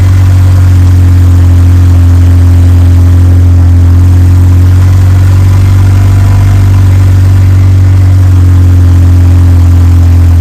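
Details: Evo 8 4G engine in an Evo 6 after fitting a lifter to remove play, cold start then warmed up: steady deep idle rumble, no ticking or knocking over ten seconds; normal 4G idle.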